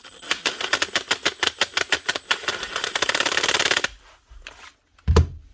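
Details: Makita DTD154 impact driver with failed front needle bearing in gearbox housing, stiff: rapid harsh, uneven rattling hammer blows, roughly a dozen a second and quickening; failed front needle bearing.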